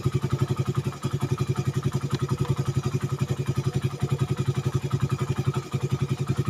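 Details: Suzuki Satria FU 150 cc after correcting a cam chain replacement with wrongly set timing (top): even exhaust pulses about four per second with crisp pickup on throttle blips; runs smooth, whereas before it was rough, weak, erratic at idle, fuel-thirsty.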